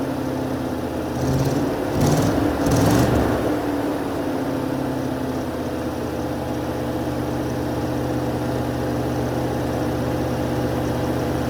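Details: 1980 Mercedes 450SL, just restarted after a new fuel pump and a long time sitting, no leaks: the idle flares briefly around two to three seconds, then settles into a steady hum; slightly unsettled, uneven idle.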